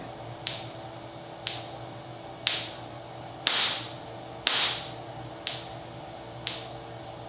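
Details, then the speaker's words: Stock Mitsubishi Mirage coil-on-plug coil at 6 ms dwell: sharp spark snaps about once a second with quiet gaps between. The weak coil strikes only every 3–4 fires and misfires. "okay so we're definitely we found the limits of this stock coil even with 6 milliseconds we're only able to get a strike every every 3 to four fires"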